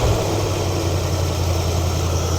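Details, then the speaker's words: 1973 Ford Econoline E200, 302 V8, after carb clean of clogged idle passage, choke open: steady, even burble with no misses but sitting fast at 1200 rpm; idle speed set too high, to be pulled down. "The vacuum gauge right now, the idle's a little bit high. We're at 1200 RPMs. Choke's open, so that's gonna drop back down."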